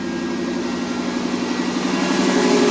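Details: 1982–92 Firebird/Camaro after replacing the failed fuel pump and fuel tank: steady, even idle with a smooth low throb and no misses, knocks or hunting; runs cleanly.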